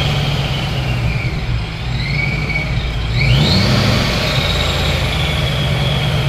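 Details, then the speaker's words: ProCharger-supercharged Ford Mustang, first start in three weeks after sitting without fuel, revving: rising supercharger whine over rough deep exhaust rumble, jet-like; pulls cleanly, everything working well. "that sounds ridiculous Wow that sounds like a jet dude"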